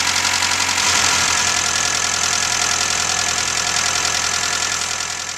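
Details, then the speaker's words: 1995 Suzuki Sidekick 1.6L G16 engine after an alternator replacement for a whining noise: a steady, even idle with a smooth engine note and no whine. Normal idle, confirming the old alternator was the cause. "all right the noise is gone so it was definitely the alternator another project done"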